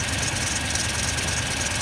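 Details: 2000 Toyota Tundra 4.7 V8 automatic: lumpy, stumbling idle with shaking and a flashing check engine light; scanner shows misfire on cylinders 6 and 8 from crossed ignition coil wires and a damaged coil connector.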